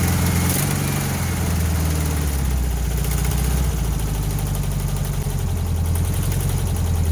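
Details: 1968 VW Bus air-cooled engine, first start after years of storage and an engine fire, after new wiring, plugs, points and condenser: steady, even low rumble with no misses or knocks; idles cleanly.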